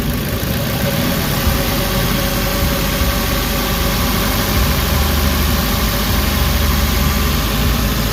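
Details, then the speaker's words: Warm Suzuki Carry engine idling under two minutes after adding XADO engine treatment, fixing earlier shaking, knocking and low power: steady, even idle with low rumble and no knock; the earlier shake has largely settled. "Wala na yung yung inig niya nawawala na medyo gumanda na yung under guys oh yung nginig yung inaantay ko na matanggal so ayan medyo nawala na 'yung guys ah medyo smooth naung 'yung takbo ng makina."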